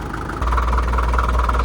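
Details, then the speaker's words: 1947 International Harvester TD-9 diesel crawler with American Bosch fuel injection, running after its first start in years: deep, steady rumble with a heavy, even fuel knock typical of that injection system; solid normal running. "Running good. You'll notice it has a real heavy fuel knock. That's the American Bosch fuel systems are notorious for that. Good solid running machine."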